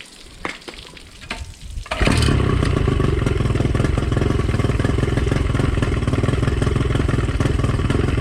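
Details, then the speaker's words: Two-stroke outboard after new zip-tied fuel lines, idle and timing adjusted, idle screw maxed out: fast burbling idle that sounds slightly slow and lazy. Low idle speed, but it doesn't die. "idling a little bit low but I mean this is all the way maxed out I've adjusted"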